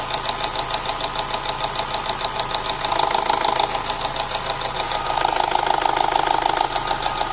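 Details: Opel Z16XER petrol engine, about four years in service: quick steady knock about three per second over a rough, shaky idle; owner blames camshaft phaser (cam adjuster) gears, once only at start-up, now constant; low oil pressure, about 1.1 bar when warm.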